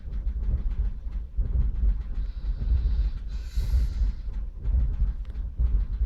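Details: 2002 Vauxhall Corsa C 1.0 idling: low lumpy idle with uneven thump about once a second; misfire codes P0300, P0301, P0302 appeared after oil change; plugs and coil pack replaced; ECU suspected, unconfirmed.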